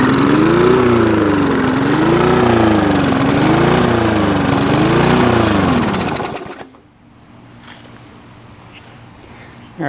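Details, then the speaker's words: Old push lawnmower after clearing a fully clogged air filter: runs with revs rising and falling about every second and a half, never settling, then cuts out; surging points to a carburetor problem needing cleaning. "guys so uh this thing definitely needs some carb work um as you can hear you see it was running uh revving up and down so there's definitely uh something going on there in the carburetor"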